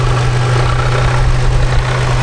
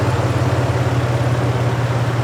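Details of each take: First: Toyota 4Runner after flex plate replacement, idling: loud steady idle with a low hum and a rough chattering rattle; same noise as before, so flex plate was not the cause, source still unknown. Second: Toyota 4Runner, fully warmed up after water pump replacement: smooth, even low-hum idle with no rattle or tick; the earlier noise is gone, and the water pump looks to have fixed it.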